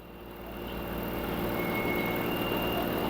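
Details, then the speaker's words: LG 10 kg washer / 7 kg dryer front loader, smart inverter direct-drive motor, at maximum spin RPM with the main control board moved off its bottom-plate mount: smooth, even rushing whir with no knocking or grinding; normal spin noise. "Here it's no any abnormal. This is normal noise."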